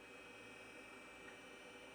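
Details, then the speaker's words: Steady high whir with fine tones from a Tandy 2500 RSX retro PC at power-on, Conner hard drive spinning up and clicking normally; later shows invalid configuration, likely from weak CMOS battery. "And I do hear the hard drive clicking at least."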